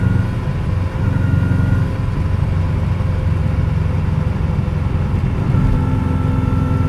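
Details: 2003 Subaru WRX accelerating above 50 mph: a thin steady whine over heavy road and engine rumble that occurs only under acceleration. The owner suspects a bad pulley or wheel bearing; unconfirmed.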